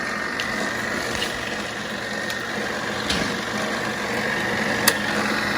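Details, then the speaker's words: 1940s RCA 16mm movie projector after fitting a replacement spring drive belt and greasing the gears, running fast forward: steady light mechanical whir with soft hum and faint clicks; running smoothly. "okay put some grease on the gears guys going smoothly oh man it sounds good girl's turning"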